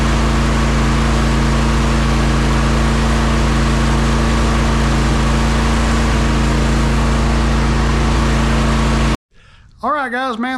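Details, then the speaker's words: John Deere S140 48-inch mower with electric PTO, after its deck belt replacement (the old belt broke when the deck bound up mulching thick leaves), run with blades engaged: steady engine drone and smooth blade whir with no grinding or crunching, healthy. "now I'm gonna get on it crank it up and engage the blades and make sure she's okay listen for any grinding crunching sounds"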